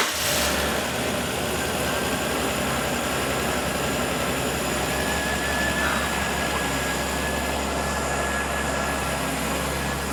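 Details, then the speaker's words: Holden VL Commodore with swapped RB30E+T turbo six, first start-up after ECU setup and pre-start checks, oil pressure confirmed: steady, even six-cylinder idle rumble with no misses, knocks or ticks; running healthy. "dog one running RB 30 this is very good this is what we want"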